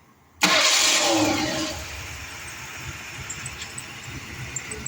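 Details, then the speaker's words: 1981 Ford LTD after major rebuild work: it catches on the first crank without pressing the gas and settles into an even, steady idle with no knocks or misses. It is starting and running normally. "Start the car up now. Get up close where you can see the engine run and me."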